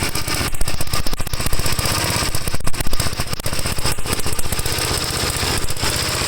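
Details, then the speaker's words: 1954 Gravely tractor single-cylinder engine, microphone right at the muffler, before the cleaned carburetor is refitted: loud, uneven chugging with irregular firing and lumpy surges; rough running, owner suspects clogged carburetor. "terrible i hope that wasn't too loud for you add this right up to the muffler but i want you to hear how bad it runs"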